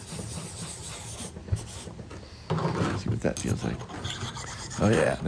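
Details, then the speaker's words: Sharpening a trumpet backbore reamer's cutting edge on a freshly cleaned stone: smooth, even rasping strokes with no skipping; stone cutting properly after clearing metal-filings sludge. "sounds great hear that that's honing pretty good right there you can tell by the sound"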